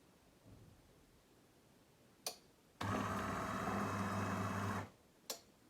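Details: De'Longhi coffee machine after replacing the brew unit lift gear nut, reassembled and tested: short click, about two seconds of steady, even motor hum, another click, no rattle or grinding; brew unit drive runs normally.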